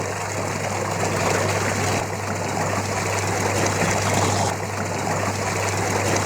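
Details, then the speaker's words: Super Asia twin-tub washing machine, wash side, after fixing slow spin speed by fitting a capacitor and changing the belt; steady low motor hum under strong, even water churning, no knocks or squeals, good pressure now. "यह आपके सामने machine चल चुकी है capacitor भी लगाया है और इसका बेल्ट भी चेंज किया है सिर्फ इसमें इतना ही फाल्ड था"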